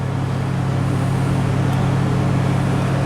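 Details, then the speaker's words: 1996 Toyota 4Runner V6, 235k miles, fully warm with no codes set: idles at about 1300 rpm all the time, a steady, even drone but too fast. "it's idling at about 1300 rpm all the time it's fully warmed up should be less"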